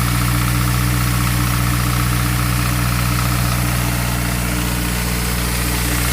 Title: Ap1 S2000 engine tick/rattle noise